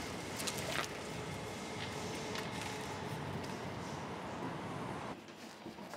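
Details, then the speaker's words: Electric-converted 1953 Morris Minor driving through London traffic after shifting from second into fourth: smooth quiet drive with light road and tyre rumble and faint even hum, gearbox noise gone; healthy running. "So I put my clutch in, over into fourth, and now we're driving along, you hear the gearbox noise completely disappears, and it gives us a little bit more low-end torque if we want to pick up pace a bit."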